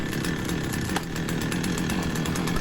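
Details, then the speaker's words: Two-stroke petrol chainsaw, long unused, just started after ignition coil replacement, warming up: fast buzzy running at a steady even pace, revving high, no misses or surging; healthy. "as you can see I've managed to get it going. I'm just going to leave that to warm up a bit. it's revving high."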